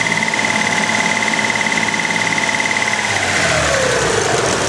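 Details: Dodge Stealth, recorded from engine bay at idle: sharp light metallic ticking about three times a second; persists after undenting oil pan, '99-style lifters, 15W50 Mobil 1 and Royal Purple; owner unsure it is lifter tick.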